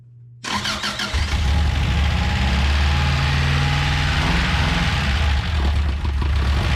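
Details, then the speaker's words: First start of a project car, no throttle given, throttle cable missing: the starter cranks, then an uneven, lumpy, wavering idle; vacuum leaks are suspected, and the engine's health is uncertain. "well they don't sound very healthy but we'll tune on it probably still got some vacuum leaks"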